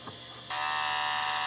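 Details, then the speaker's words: Quantum SCSI hard drive in a Mac IIsi: faint hum, then sudden loud high-pitched buzzing whine held steady as it tries but fails to spin up; failed drive. "this hard drive is not working though it is not working not even spinning i hear trying it's trying to spin come on let's hit it making weird noises um that that is a hard drive that no longer works"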